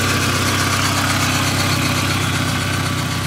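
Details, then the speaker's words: 1997 Jetta GT, cold start: steady, even idle with smooth low hum, no knocks or misses; healthy engine running cold. "take a look at the engine cold start engine running cold"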